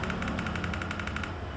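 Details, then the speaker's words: Active speaker with no sound, tweeter tested directly: crisp, evenly spaced ticks about nine a second, clean and consistent; tweeter works, fault later traced to amplifier IC input protection. "Twitter. Nah, ada ada suara tek tek tek tek seperti itu."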